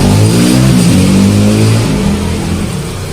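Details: Hero HF Deluxe single-cylinder after repair with new piston, valves and decarbonised head; revs up and settles back smoothly, pitch tracking throttle, no crank-like knock or rattle; engine healthy.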